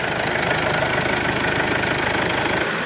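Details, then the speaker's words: Mercedes B-Class 1.8 CDI diesel idling, cold with oil at 17°C: steady idle with uneven knock about three per second over the clatter, engine shaking slightly; mechanic attributes it to a noisy dual-mass flywheel, unconfirmed. "A ogólnie tutaj w tym pojeździe strasznie hałasuje koło dwumasowe to będzie słychać Słychać ewidentnie a nawet pójdzie cały silnik tak delikatnie trzęsie"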